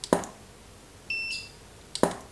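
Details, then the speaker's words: Godox SK400 II studio flash after repair of Error E3 and weak power, power raised to full: two sharp flash pops with thin steady high recharge whine between; firing cleanly, power boosted. "mantap powernya kita bonusin kita naikin powernya gitu ya"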